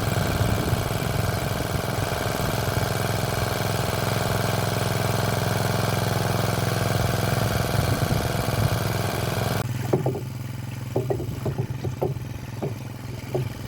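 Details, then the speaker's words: Motor pump after tightening a loose part by four or more turns: the small engine runs smooth and even with a steady beat and no scraping or rubbing. It is running normally after the fix. "apertou ele você vai ver que a bomba vai voltar a funcionar normal de novo"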